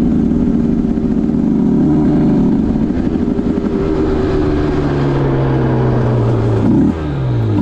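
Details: 2010 Aprilia RS 125 two-stroke, VHSB34LD carb (162 main, K57 needle top clip, B36 pilot, air screw 2.5 out): the buzz climbs unevenly, wavering and stumbling around 6,000–7,000 RPM instead of pulling clean. The stock needle is suspected of giving an over-rich midrange; it is to be leaned with a K21 needle.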